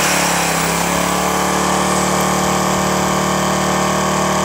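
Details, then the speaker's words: Firman 1050 80cc generator that wouldn't start, after carburetor cleaning and pilot jet enlarged from 0.0145 to 0.016 inch to cure idle surging. Cold engine holds a fairly steady buzzing idle with slight wavering, which the owner attributes to the cold weather. "that sounds a bit better now you'll notice that not only did I test the machine under idle but I also tested it under a load using just an angle grinder there plugged in"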